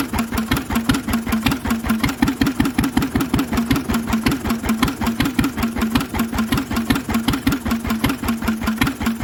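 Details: Lister engine on its first start in 40 years, on a little choke: even, unhurried single-cylinder chuffing with a noisy exhaust and no big-end knock; healthy, steady running.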